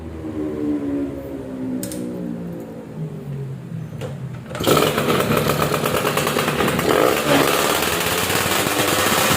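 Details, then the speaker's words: Yamaha F1ZR two-stroke, ported, clutch modified with FR plates, exhaust with standard front neck for sharper throttle response: steady idle burble, then snaps to a sharp, clean high-rev scream without bogging; responsive, full top end, healthy. "seperti itu suaranya ya udah biasanya responsif padat atasnya juga ngisi"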